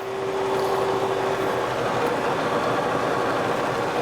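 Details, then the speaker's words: Kearney & Trecker 2H horizontal mill, vertical head attachment on its first run via a newly found drive gear, no end mill fitted, slow speed: even, smooth mechanical run, no grinding or knocking; gear drive turns freely. "Everything sounds good. Everything looks good."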